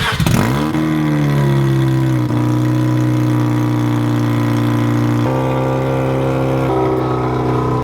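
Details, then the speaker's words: Mazda RX-7 rotary idling and revving with a slight exhaust leak: steady low drone with a rough, raspy edge, worst at idle. "so now as many of you guys know the rx-7 has a slight exhaust leak"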